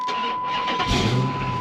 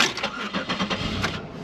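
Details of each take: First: Chrysler 300 SRT8 V8 at auction lot, runs and drives; catches and fires into a deep, strong burble within a second, settling to a healthy, even run: normal engine start. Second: 2004 Chevrolet Monte Carlo at auction lot, over half a tank of fuel, oil overdue for change: starter churns in quick even pulses, then the engine catches unevenly and stumbles; slow to fire and rough on start.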